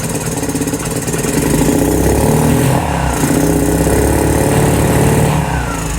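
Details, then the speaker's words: 2018 Lance Cali Classic 125cc scooter held on throttle; burbly, uneven rev that swells and sags without settling, and raw fuel is smelled. The owner suspects the carburetor and needs a new one. Poor idle, rich running. "I think got a winner except for the fact that not doing that not on idle I need a new carburetor [Music] I can smell the fuel is running pretty R"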